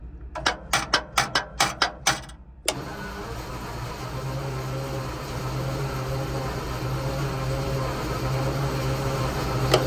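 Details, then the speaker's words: Centurion ARV engine after resetting magneto ignition timing: rapid starter cranking for a couple of seconds with two weak kicks that never catch; still won't start, valves to be checked next. "Definitely kicked twice then. Well, that wasn't really a success."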